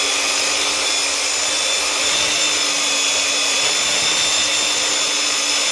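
Steady high-pitched motor and belt hiss with an even tone, no grinding or knocking, smooth sander running under sanding load.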